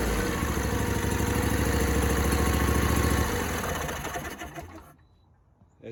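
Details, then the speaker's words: John Deere D125 mower twin that cranked but wouldn't start, with a suspected bent push rod and an adjuster that had come out: fires and settles into an even, quick chugging beat with no carb popping; running normally, new push rods planned. "so what i'm gonna do even though it's running and it seems to be running okay i'm gonna change out the push rods"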